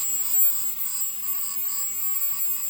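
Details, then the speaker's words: Ozone dielectric cell on a test box at full power, about 7,600 Hz and 420 W: even, steady high hiss with a constant whistle, no arcing crackle; frequency and wattage stable. Normal cell. "that's a normal cell you get stable frequency and a stable wattage up around 400 watts it should not jump around and oscillate the frequency like that other cell did and you don't hear the arcing"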